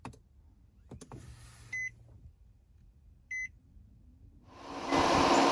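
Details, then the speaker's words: 2008 Infiniti G37, ignition on, engine off: clicks and two chimes, then the radiator fan rushes straight to maximum speed; the fan control module is fried and running in safe mode, needing replacement. "fan running on full speed or maximum speed then your radiator fan module is busted"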